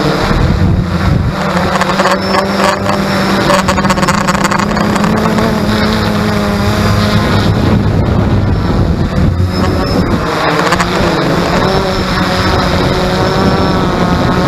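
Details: X380: loud continuous motor buzz with a wavering tone and gusty wind rush; unusual drone noise, cause unclear.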